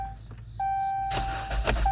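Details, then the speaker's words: 2000s Jeep Cherokee Latitude, towed in as no-start with range sensor codes and dead battery; after battery installed, chime then starter spins engine evenly about a second without firing, cranking normally; interlock then checked. "all right it cranked she's fixed boys"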